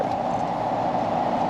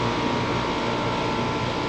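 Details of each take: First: 2017 5-ton home AC outdoor unit, not cooling well downstairs, customer reported humming: steady low electrical buzz with no motor spin-up, the unit humming but not starting; failed run capacitor. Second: AC condenser just after replacing the swollen failed 45/5 run capacitor: steady fan whoosh over a smooth compressor hum with no clicking or buzzing; the unit is running normally again.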